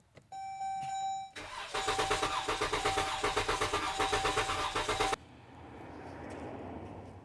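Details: Dodge Durango: a chime, then the starter cranks at an even pace for about three seconds and the engine never fires; cranks but won't start.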